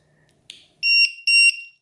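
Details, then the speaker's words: Delta Powerlite lantern converted to three 18650 cells in series with battery monitor: two shrill quarter-second beeps repeating; alarm because one cell is at 2.8 V while the other two read 4 V. "because that brown battery is at 2.8 that's why it's setting it off the other two batteries were at four"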